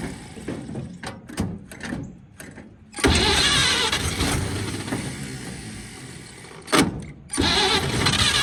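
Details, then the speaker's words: 1946 Chevy boom truck engine, sat 35 years, previously water-filled and locked up, on pump-sprayer fuel with ether; starter churns unevenly, a few ragged catches and sputters, then dies; fires briefly but won't keep running. "I put a little bit of gas in there and it tried to hit off and run, so a little bit of ether and whirling her over, she should fire off for us."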